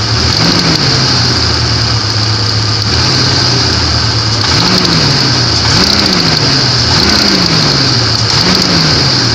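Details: Knock from a 1994 Grand (4-litre) engine at idle with short throttle blips; the knock rises and falls with revs, source not pinned down.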